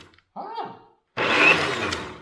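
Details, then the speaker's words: Old Craftsman table saw, motor run without its dust cover, short even whirr spinning up cleanly with no rattle, grind, stumble or smoke; motor sounds healthy. "that's a fine red machine hey smoke i don't see smoke fine running machine"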